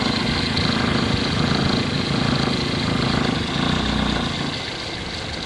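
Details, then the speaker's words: Toyota Altis at idle, where the vibration is louder: a fast, uneven buzzing rattle, suspected to come from a loosened engine cover clip letting the cover slap the valve cover. The noise stops when the cover is lifted. "Pwede kasing yung clip nitong engine cover lumuwag na kaya humahampas siya dito sa bulve cover. Ayan oh. Kung hindi ko masyadong didiinan itong engine cover niya, malakas yung tingay na lumalabas."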